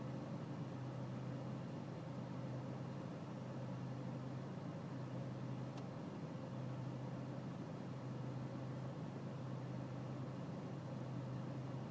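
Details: BMW E46 320cd diesel at low engine and outside temperature: low, steady idle drone that wavers unevenly about every second, with no clear knock; a rough cold idle.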